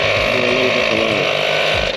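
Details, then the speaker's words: ARB on-board air compressor on a Bronco, switched on with the valve opened to feed air to all four hooked-up tires, set around 39 psi, with the replacement control unit carrying a new brain module. Fast, even motor buzz with a steady pulse, then winds down; running normally. "I'm going to switch right here for mine and so now you can hear it on we're going to open this valve uh to let air pass through the system"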